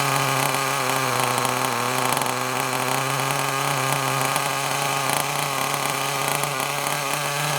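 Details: Kyosho Mini Inferno nitro RC car after ticking over a few minutes, low batteries causing throttle delay: high, steady buzz with even firing, no misses or sputter; sounds a lot better, running smoothly.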